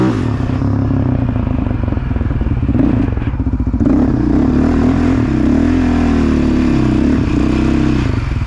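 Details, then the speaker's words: 2008 Raptor 700 single-cylinder ridden after head gasket replacement; it had blown the coolant cap above half throttle: pulls cleanly through changing throttle, firing steadily with no misses, knocks or hiss, and the cap now stays on; normal running. "so i ended up getting the bike back together and it's running good hasn't blown the cap off yet so hopefully we're good on that"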